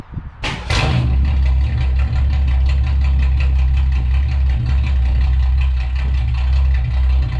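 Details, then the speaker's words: 1962 Ford Falcon, Ford 200 inline six, after oil pan and motor mount work: cranks a couple of bursts, fires, settles into uneven lumpy idle; rough running, owner suspects tune-up, dirty carburetor or fuel pump. "all right y'all in that case sounds like it needs a maybe needs a tune-up or something i don't know i think the carburetor needs to be cleaned out i think i need to check the fuel pump"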